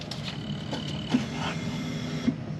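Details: 1999 Jeep Wrangler TJ after a DIY fuel pump replacement, key on: a thin, steady whine runs about a second and then cuts off cleanly as the new fuel pump primes normally.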